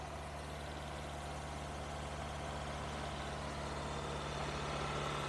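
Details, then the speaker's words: Engine with high idle, while pinching vacuum hoses one by one: steady even hum at raised idle, no change in idle and no vacuum leak heard; cause not yet found. "you know I should be able to notice if there's any change in the idle and I'm not noticing anything from doing any of them"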